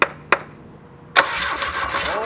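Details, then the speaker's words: Volvo boat engine during restoration, rewired starter: two sharp clicks, then starter spins engine steadily but it never fires; no spark, ignition not yet wired up. "jake's testing the coil because we've had some ignition problems he seems puzzled it does look old and crusty so we might need a new one but we weren't getting any spark at the spark of the"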